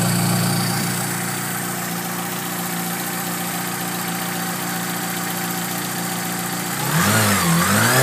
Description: The tapping is the injectors (for some reason the iPhone picks that noise out and amplifies it at idle), whining is coming from the belts, the low burr is the charger.